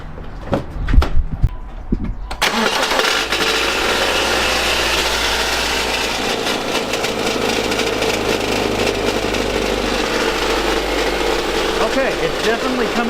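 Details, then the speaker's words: 2012 Subaru Outback, about 230,000 mi, replacement CVT at 180,000, head gaskets done at 110,000: after starting, harsh rough clatter over the idle from the back of the engine near the starter; cause not confirmed. "So, now we have a pretty terrible noise, and I can pop the hood and demonstrate some of this noise if you want to hear it."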